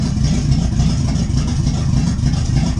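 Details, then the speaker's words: C4 Corvette first start after carburetor swap with new headers, timing adjusted, throttle fully off: low lumpy idle barely running on its own; mixture seems too rich, unconfirmed. "That's all the way off the gas. It's running on her own, barely, but that's the start."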